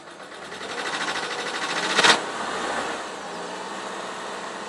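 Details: BMW E36 316 at working temperature: quiet, fast, light ticking clatter over engine hum with one brief loud burst, disappearing around 2,500 rpm; owner thinks it was caused by low coolant.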